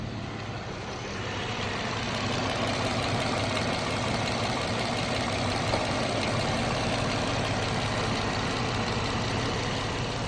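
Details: 2014 Jeep Wrangler 3.6 Pentastar at steady idle with a light, quick tick three to four times a second over the hum; owner asks whether rocker arm or valve tick.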